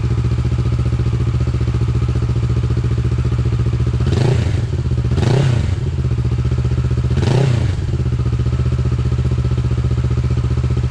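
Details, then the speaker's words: Motorcycle after the exhaust was refitted with its original lambda sensor, recorded from a distance in an echoey garage: steady, even low idle with a smooth firing beat and a few louder echoing thumps. Normal idle. "Just in case what people are wondering what it sounds like, it's a bit echoey in here, so but I'll start it up anyway and put it nicely distance away."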